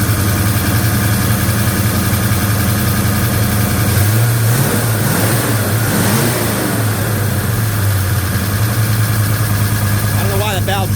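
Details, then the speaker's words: Chevy 307 V8 hot rod motor with new Holley 4150 double pumper in a 1956 Chevy Bel Air, first start: idle and throttle blips with loud top-end valve train clatter over exhaust rumble; owner suspects valve lash, hydraulic cam. "70 lb depressive, but that valve train sounds loud. Loud, loud, loud, loud. That's unusual."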